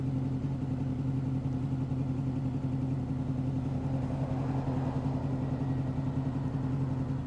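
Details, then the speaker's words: 2005 Honda VFR800 VTEC, warm, idle previously about 1500 rpm, adjusted to the manual spec of 1200 rpm; steady even low rumble settling to exactly 1200 rpm, no knocks or misses; normal warm idle. "So as you can hear it now, the RPMs are dropping. We'll wait for a couple of more minutes. They'll come down to 1200 RPM."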